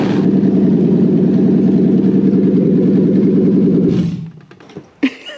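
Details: Lexus LS430/Celsior 3UZ V8 on a test engine, after its ECU was reflashed with the immobiliser removed (before, it would crank but not fire). It catches and settles into a steady, even rumble for four seconds, then shuts down, running normally.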